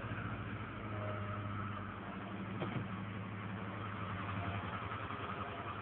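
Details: Ford Escort Zetec with an intermittent stumble that began after an oil change to 20W50 anti-sludge oil; it drives poorly and a few revs restore it: a steady idle hum with occasional brief stumbles and dips; rough idle, cause unknown.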